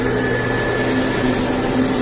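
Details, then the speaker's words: Home-built oil-burning furnace, blower switched on after about a minute of burn chamber warm-up: steady rushing airflow with a constant hum and no rattles, scraping or wobble; blows a lot of hot air; furnace sometimes burns a little smoky. "And it really blows a lot of air out, and it gets hot, so it really heats this place pretty quick."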